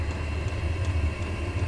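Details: Chinese diesel heater on setting 3 of 6, exhaust routed through a home radiator that is warming up, running in a garage: steady low hum with a faint constant whir, no knocks or surging; normal running.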